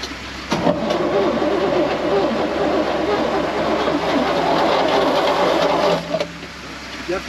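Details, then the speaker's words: 1970 Chevrolet C20 sat 13 years, cranked on jumper-charged battery, around 40–45°F: steady starter churn about five seconds at roughly three beats per second, no galloping; turns over freely, sounds good. "so we'll let it charge it charged up engine turns uh sounds pretty good"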